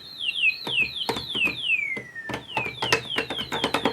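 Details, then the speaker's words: Minitmoog synthesizer before repair: each note gives only a thin, low-volume whistling tone sliding downward, with key clicks, from the self-oscillating filter and envelope; no oscillators heard. Filter problem suspected, not confirmed. "We have no oscillators. So I think we got a problem with the filter. I think the filter is just too hard in oscillation."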